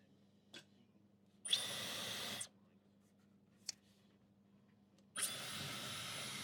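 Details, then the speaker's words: Dyson Supersonic HD03 hairdryer after swapping components and removing a long hair: two short bursts of smooth, even, high airflow that start cleanly without bogging. It previously struggled at the lowest speed setting; now it works normally. "seems to work absolutely perfectly though. It's not not struggling to start up."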